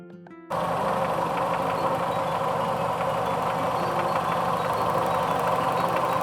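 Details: 2011 Chevrolet Lova petrol engine after carbon cleaner decarbonising with spark plugs cleaned: even idle with a faint light tick over the hum; earlier knocking greatly reduced and almost inaudible but not entirely gone; normal idle.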